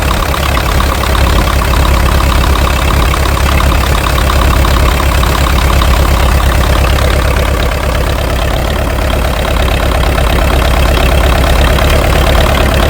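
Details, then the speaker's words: International TD-6 crawler engine, revived after sitting 11 years, idles with a deep, even thump and no skipped beats after the cylinder 4 misfire was fixed; it is now firing on all four. "I think it's hitting on all fours. Sounds a lot better."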